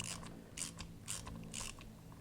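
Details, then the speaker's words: 2003 Harley-Davidson Anniversary VROD front Hayes caliper rebuild. Crisp metallic torque wrench clicks about every half second as the tapered pad pins reach 180 inch-pounds, confirming they are installed correctly. "And what you'll do is these are tapered on the end, and you'll hear a mechanical click when you know they're installed correctly."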